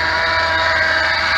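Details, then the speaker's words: 2006 Ford Explorer Eddie Bauer V8 running: steady high-pitched chirpy squeal that grows louder near the idler pulley, a worn idler pulley bearing, which is then replaced. "all right that's the sound that a lot of guys hear everybody makes a video about replacing pulleys and pulley bearings well this is going to be ours"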